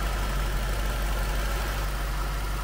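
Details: 2003 Jaguar S-Type R supercharged V8 at a smooth, even idle with a steady low hum and no hiss or hunting, after fitting two oil catch cans and checking for leaks; negative-pressure crankcase sealed, sounds healthy.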